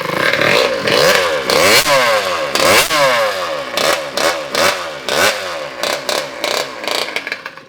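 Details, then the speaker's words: Kawasaki KX85 two-stroke engine swapped into a Harley-Davidson SS125 trail bike, freshly rebuilt, no muffler: crisp open-pipe ringing through throttle blips, revs rising and falling cleanly with no knock; runs well. "That sounds pretty good."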